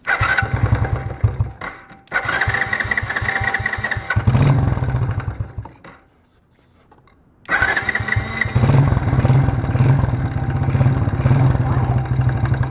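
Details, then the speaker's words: Small free ATV, 72cc single, after electrical fixes, choke on: it putters unevenly, nearly stalls, then picks back up still lumpy. Owner suspects it is not warmed up, with oil needing to burn off; it is smoking. "ah come on you got to keep it from stalling well it runs I don't know it's not running super good"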